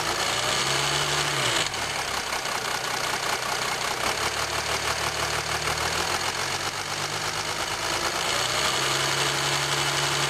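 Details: 2007 Jeep Grand Cherokee 3.0 CRD diesel idling, camera on the battery: light, fast metallic clatter about three beats a second over the diesel knock; owner suspects timing chain rattle on drive side, unconfirmed.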